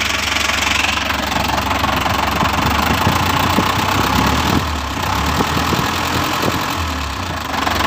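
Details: Toyota Dyna Rino truck with B12 diesel engine, first start after overhaul and reassembly: steady low diesel clatter at idle, even beat, no heavy knock; normal running.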